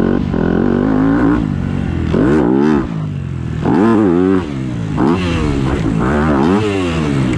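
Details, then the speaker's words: Four-stroke dirt bike, tagged 250F, at a supercross track: revs stumble and drop out briefly between throttle pulls with uneven pickup. Owner says it randomly sputters; cause not found. "my bike keeps like randomly sputtering"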